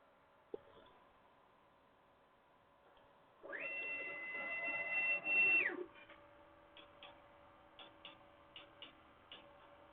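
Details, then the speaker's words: Jubilee multi-tool printer with Hemera extruder, hotend cold: quiet motor whir, then uneven ticks a couple of times a second. Extruder gears are grinding on filament because cold extrusion was allowed despite being set as forbidden. "See, it's still allowing cold extrusion, even though it specifically says it's not supposed to do that. But I can hear the Hemera grinding away. That's really irritating."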